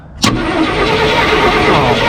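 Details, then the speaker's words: 1968 Ford F100 small-block V8, out of a junkyard after 12–13 years, cranking after the voltage regulator was sorted: starter spins it fast and evenly with no clunks or valve-train noise, and spark is present. Normal cranking. "That motor don't sound. It wasn't going clunkety clunk. It's just going real smooth. I don't hear any valve train noise or anything."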